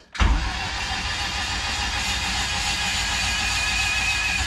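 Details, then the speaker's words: Turbo K-swap Mazda Miata, freshly reassembled engine cranked to build oil pressure before first start, clutch not bled: steady, even starter whir spinning freely, no knocks or catches; reached 25–30 psi oil pressure. Normal cranking. "it should crank over pretty smooth but this is probably gonna take a minute"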